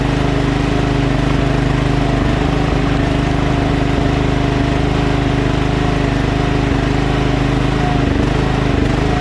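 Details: Other Craftsman LT1000 hydrostatic lawn tractor: the single-cylinder runs with an uneven beat, speed wavering slightly up and down, an idle surge. Carburetor cleaned twice and throttle bracket and spring adjusted; still surges, owner considers a new carburetor.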